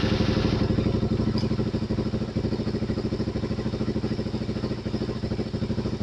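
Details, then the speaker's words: Suzuki DRZ400 single with about 40k miles idling while the manual cam chain tensioner is backed off: loose, chunky rattling chug two to three times a second from the slack cam chain. "You hear it? making that noise. Don't go any further back. But you can hear it starting to make a chunky noise."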